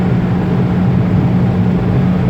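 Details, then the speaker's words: 2019 Proton Persona sedan, in-cabin, cruising about 140 km/h then full-throttle roll-on to about 5,500 rpm: strong steady low hum filling the cabin; suspected sedan body/large boot resonance, unconfirmed. "It's clear and it's not too bad, but there's still that humming sound. There's still that humming sound coming from the car."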